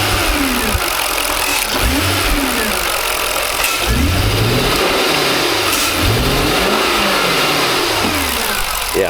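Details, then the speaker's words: 2003 Jaguar XJ8 (X308) V8 running rough, entering restricted performance mode, with knock sensor A/B and bank 2 O2 sensor codes; repeated revs rise lazily and unevenly, hesitation on throttle tip-in, owner suspects vacuum leak. "And I think we've got a vacuum leak, but I it sounds like there's just hesitation."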